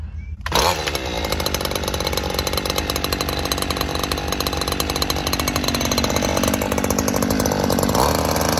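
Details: Stihl FS 94R two-stroke trimmer, cold first thing in the morning after a tune-up, during carburetor adjustment: high buzzy steady fast idle picking up slightly at the end, no bogging or stalling now; owner says it usually bogs by midday and is hard to start.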